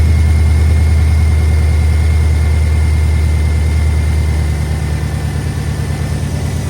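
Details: 2008 Chevy Avalanche 5.3 V8, first cold start after timing chain failure rebuild (repaired heads, new lifters, pushrods): deep, even idle, steady beat, no ticking or knocking, settling slightly lower; normal idle, check engine light on.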